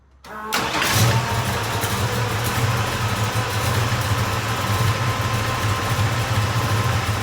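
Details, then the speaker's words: Grey Ghost car with original valve covers, after hard driving that left rocker arm chatter and an oil leak: steady slightly lumpy idle with a faint light tick, quieter at idle; owner suspects lifters not pumping up correctly, oil pressure to be checked. "ds quieter at an idle but I still hear it's got to be those lifters it's just it's almost got to be I don't think they're pumping up correctly"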